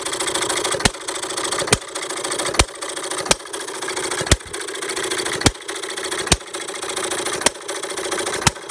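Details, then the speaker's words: Perkins vertical air-cooled side-shaft hit-and-miss scale model engine, 9-inch flywheels, mixture set almost straight back from the stop, single intake gulp per fire: sharp pops roughly every second with quiet coasting between; regular, healthy hit-and-miss running. "I have it running right now just like I like to have these things running as far as it pretty much always taking in just one gulp of air or your intake charge in the fires"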